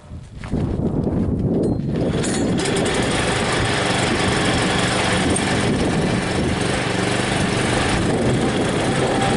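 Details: John Deere 56 lawn mower with newly fitted single-cylinder engine, primed several times, kill wire reconnected: brief crank, catches within two seconds, steady even run with no misses; starts up real nice, normal start and run.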